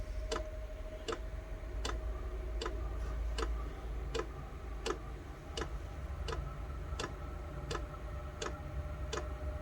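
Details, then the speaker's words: Chinese diesel heater set up for indoor home use, waiting to fire: the dosing pump gives crisp single ticks about every three-quarters of a second over a faint hum. This is normal fuel pump ticking at startup, before ignition. "okay let's just wait for it to fire up you'll hear the pump click in a bit there we go pump's kicked in"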